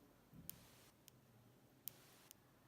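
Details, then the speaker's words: MacBook Pro keyboard with a misaligned keycap, possibly from thermal expansion; each press gives two separate sharp ticks instead of one clean click. "also there is dual sound"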